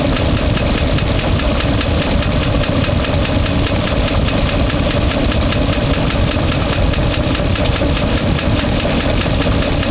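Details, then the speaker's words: One-ton truck warmed to about 200–205°: steady fast tapping over loud rough idle, not easing when warm, plus a bad miss; owner suspects collapsed lifter, top-end teardown planned. "still making noise sounds like a collapse um or something like that uh it's bad Miss"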